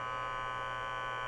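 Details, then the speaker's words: DIY CNC with 120 V VFD-driven three-phase spindle, controller unplugged, sensor picking up ambient EMI: constant buzzy hum with high ringing edge, like fluorescent lamps; ordinary background electrical noise. "if i turn this on to pick up sound you can hear electrical noise like fluorescent lamps"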